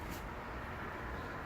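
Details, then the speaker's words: Honda PA50 two-stroke moped after decarbonizing the muffler by burning out carbon; even, steady buzz with no popping or stumbling, running better and clean. "It runs better. Because, yeah, inside of there's no exhaust padding."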